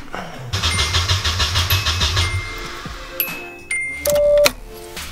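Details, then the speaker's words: Nissan S12 after a battery relocation: it cranks steadily at about five turns a second but never fires. The coil gets 12 V with the key on and while cranking, yet there is no spark, and fuel can be smelled. Crank, no start, no spark. "We just tested for spark and we got like nothing. Uh the coil is seeing 12 volts of power with the key on and the starting cranking position."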